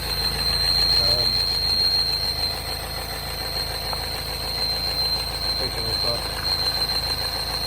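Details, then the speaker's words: R60 Mini Countryman Cooper S, just started, engine light on: thin steady high whistle over rough idle with revs hunting up and down; vacuum leak from torn PCV diaphragm, tensioner first suspected. "it's running a bit rough i've just started it but you'll probably start hearing the sound oh there it goes the revs are going up and down to start with and there's a noise"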